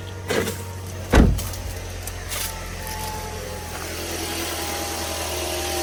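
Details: 2010 Toyota Corolla S after timing chain replacement: starter catches quickly, engine fires and settles into a smooth even idle with low steady hum, no rattle: normal start and idle.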